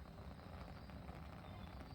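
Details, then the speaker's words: HomeBiogas unit in use since 2019, burner after troubleshooting pulsing gas: smooth even low roar, continuous gas stream with no pulsing, bigger flame than in ages; normal steady burner flame. "yeah that is a way bit of flame than we've had in ages and is it pulsing no it is not that's a continuous stream of gas"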